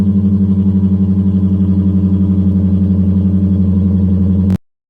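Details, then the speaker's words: Deep, even V8 exhaust pulse when revved, then a sharp cut, on a 1994 Lexus LS400 1UZ-FE with 172,000 miles, after fixing a bad exhaust leak, deleting two of four mufflers and fitting two Flowmaster Super 10s; clean, leak-free note. "when i want that sucker to be loud i rev on it and it's there and it sounds good and i actually get quite a bit of compliments on it"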